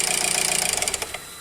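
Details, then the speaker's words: Range Rover Evoque 2.0 turbo direct-injection Ford engine with correct timing: fast, even metallic clatter about twenty raps a second at idle, felt by hand at the cam pulleys, fading at shutoff; failing variable cam phaser pulleys. "Se você colocar a mão bem aqui, ó, você sente ela batendo, ó. Sente as polias batendo. Viu o barulho?"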